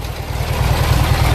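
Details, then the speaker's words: Junkyard Briggs & Stratton opposed-twin engine with a breather oil issue: quick even low thumping at idle on both cylinders, no misses, running smoothly. "yeah it sounds good see most of the scariness goes away when you push the carts in"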